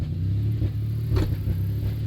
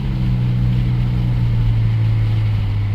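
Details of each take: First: 1991 Dodge Grand Caravan SE driving warm under throttle: deep rumble surging and sagging, bucking as it cuts in and out; idles fine and runs great cold. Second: 1991 Dodge Grand Caravan SE, fully warm (fan cycling) after a 10-mile drive, steady smooth idle with no stumbles. Fixed by replacing the crank sensor installed earlier, which was bad out of the box and made it quit once warm.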